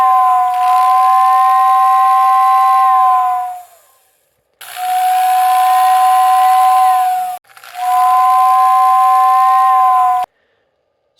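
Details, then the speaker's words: Lionel OO whistling tender after reversing swapped brush wires on the whistle motor to correct motor direction: three loud, steady two-tone whistle blasts, louder and more intense, both tones clear; whistle now normal. "hopefully you can hear that um the volume is definitely increased I feel like the intensity is a little bit higher and I can now hear clearly both tones in the whistle"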